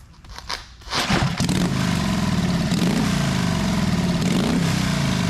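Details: 1928 Harley-Davidson factory hill climber, second start of the day, one-kick start: kick and catches, then loud loping beat settling steady; healthy old engine, normal running.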